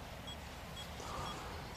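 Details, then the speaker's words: OKM Bionic X4 long-range detector with the calibration value at 255. Short high beeps repeat about twice a second, warning that the calibration is set too high; they stop when it is turned down to about 81. "when it is very high then you can hear the beeping this is a warning that it is too high"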